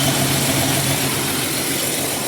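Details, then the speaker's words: 1993 Jeep Cherokee 4.0 High Output, revived after sitting 15 years: even, steady idle with no misses or knocks under background hiss; runs, topped up with water. "and then put some water in it so it keep itself cool and it runs and drive or well it runs I don't know if it drives look at that guys it's running heck yeah fuel pump"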